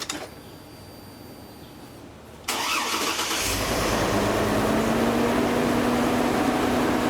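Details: 2003 GMC Envoy 4.2L 4x4 automatic, after repairing a power steering pump with a broken pulley shaft: it catches quickly and settles into a steady, even idle with a faint belt-accessory whine; normal start and idle, and the steering works.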